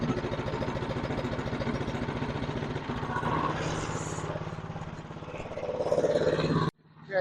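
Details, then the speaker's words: Newer TroyBilt snowblower after repair and reassembly, started with key on choke: catches and chugs at a low, uneven pace, sounding starved or under-throttled, never reaching full speed; owner suspects throttle setup or carburetor. "not running very fast yeah she runs but she's not running very good so it sounds like the throttle's not set up right"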